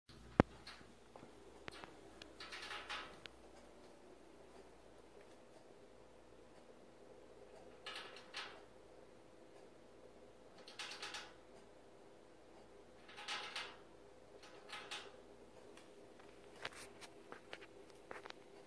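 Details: Samsung gas range switched off at 4am: sparse, irregular clicks and short hissy bursts in a quiet room, cause unknown.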